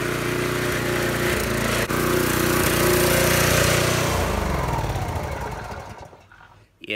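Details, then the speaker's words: Briggs & Stratton 5 HP small engine on Troy-Bilt sickle-bar mower, long unused, just after carburetor cleaning and rough low-jet adjustment: rough uneven putter with slight sputter, then winds down; owner hopes running it hot will clear it. "a little bit of a spotter uh we'll just let it run for a little while i'm sure uh letting it run for a good while getting a nice and hot might clear up a little bit of that"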